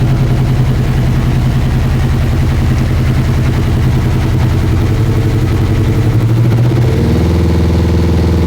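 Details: Honda CB1000R four that broke down and wouldn't start, running with the left two cylinders' Power Commander wires disconnected and original wiring reconnected: lumpy, loping, stumbling beat, only the two right cylinders firing; Power Commander/quick shifter setup suspected, possibly a programming error.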